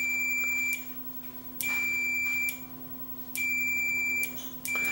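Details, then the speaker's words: Panasonic inverter microwave oven, dead with suspected blown fuse: continuity tester's steady high beep cuts out cleanly when the normally closed door interlock switch is pressed and returns on release, so the switches are not at fault. "so that tells me that the switches are not at fault on this unit"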